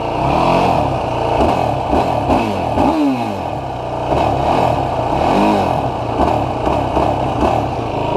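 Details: 2016 Yamaha YFZ450R SE quad blips up and down smoothly with no stumble or bog after the throttle position sensor was adjusted to 0.81, leaning the ECU richer; before, it bogged at low rpm/throttle and started slowly.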